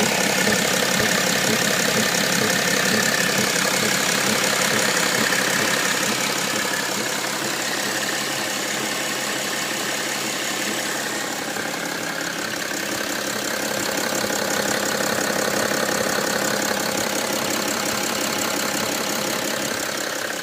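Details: 2007 BMW E90 330d diesel at idle: a steady, regular thump about three beats a second; the car otherwise runs absolutely fine.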